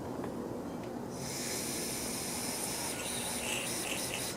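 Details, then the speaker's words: Briggs & Stratton mower carburetor with broken/missing body piece: air blown into primer nozzle escapes in a steady breathy hiss instead of gurgling down into the bowl as on the good carb. "you can hear it gurgling down in here so that it's when you push the bulb it sends the air pressure down but it goes down into the bowl and not out like this one's doing"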